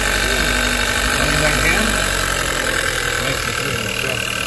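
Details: 2014 Hyundai Elantra after replacing the failed ignition coil that caused a severe misfire and flashing check engine light: engine settles into a steady, even idle with no stumble or miss; normal idle, runs on all four cylinders.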